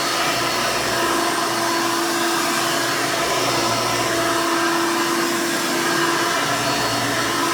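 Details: 1991 Hoover Elite 350 upright vacuum, model U4463-9, motor-swapped with a later 7-8 amp motor, louder than stock: loud steady scream at constant pitch, no rattles or surging; vacuum runs smoothly and healthy.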